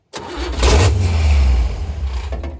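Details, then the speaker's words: 1957 Chevy wagon 283 V8, off road 30 years, fed fuel by pouring into carb: catches and runs rough about two seconds, then fades out and stalls; owner believes ignition is dropping out amid scrambled wiring. "No, that's losing ignition. See, I hate when this stuff's all just scrambled. You don't know what's what."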